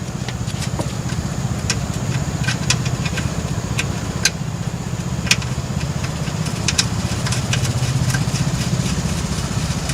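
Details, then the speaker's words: 1996 Chevrolet S10 Blazer 4WD front hub reassembled after ABS sensor replacement, engine idling, wheel turning: light, uneven scraping ticks as the brake rotor rubs on the dust shield, which must be bent hard to clear. "now to ensure that this thing is not rubbing which it is you can hear it"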